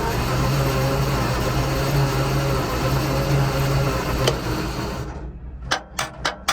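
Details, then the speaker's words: Centurion ARV after setting magneto ignition timing and topping up coolant so the coolant switch allows starting: strong, fast starter churning for several seconds with no firing, fuel smell, then clicks and two kicks; crank no start, valves next to check. "Certainly cranking over like hell. Smells of fuel."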